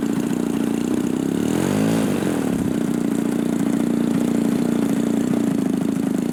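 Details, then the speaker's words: Giant-scale RC warbird (Robart P-47) engine, cool air, just started: rough idle, then sluggish rev-up and fall-back with hesitation on throttle; low-speed mixture too lean, low-end needle probably needs opening. "Cooler air, so your low speed's going to be a little leaner than usual. You're just not going to be able to hammer the throttle. Running too lean."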